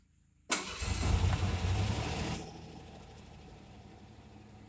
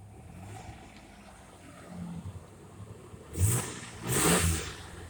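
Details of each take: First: Cold start on an 89 GT with a 2.9 engine, not started for about a week. It cranks and catches with a sharp metallic chatter that fades within two seconds into a steady idle once oil reaches the top: brief valvetrain chatter. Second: 1989 truck petrol engine at its first start in a week, after a full tune-up last year: low, steady idle with two quick, clean revs, running normally.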